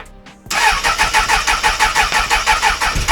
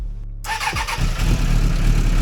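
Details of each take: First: 1996 Suzuki Bandit GSF600S after sitting a week, before carbs were removed again, a little throttle: steady cranking about three pulses a second with no firing; hard starting blamed on carb problems, fixed by rejetting. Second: 1996 Suzuki Bandit GSF600S four-cylinder after carb rework, idle set near 1,200 rpm, starter button only with no choke: a brief crank, then it catches at once into an even idle; an easy start, much better than before.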